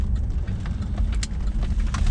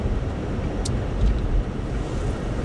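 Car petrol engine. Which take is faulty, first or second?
first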